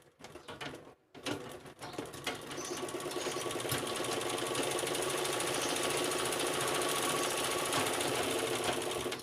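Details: Sewing machine on stand after play in the stand's legs was reduced: even mechanical clatter about three to four beats a second, no loose knocking from the stand; normal running.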